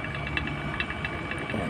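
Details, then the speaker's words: Refrigerator being evacuated through a manifold: steady vacuum pump drone with irregular crackling and gurgling as residual air is drawn from the evaporator and condenser; persistent noise can indicate a remaining leak. "a kemresek berarti vakum ini lagi bekerja menyedot ya atau macum udara udara yang tersisa pada evaporator dan kondensor pada kulkas"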